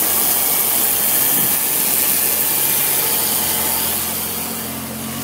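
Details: BMW E23 745i petrol engine idling: steady raspy buzz in the engine compartment over a loud hiss; cause unknown.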